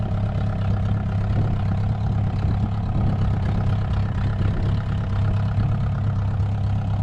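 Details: VW 1.9 mechanical SDI diesel in a homemade mini loader, first start after build, not fully cold (stored in garage): steady low idle, even clatter, no misses or surging, smooth deep rumble; normal healthy idle.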